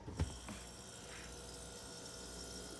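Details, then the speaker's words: Frigidaire top-freezer fridge not cooling, turning on a moment then clicking off: sharp click then low steady compressor hum failing to start; bad start relay, fixed by replacing start relay and capacitor. "Complaint on this one. Fridge turns on for a moment and it clicks off. Now that's going to be your start relay."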